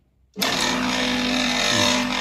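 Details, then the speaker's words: Two-horsepower cabinet air-conditioner outdoor compressor, previously stuck, restarting on the original 40 µF capacitor after being freed with a high-capacity starter. It kicks in instantly and hums evenly with a hissy rattle. The noise is louder because it holds no refrigerant and is compressing air. "compressor starts normally Shutdown No problem at all Since the compressor is now empty There is no supplement So the noise is louder than after adding fluoride. Because it is now compressing air, not refrigerant."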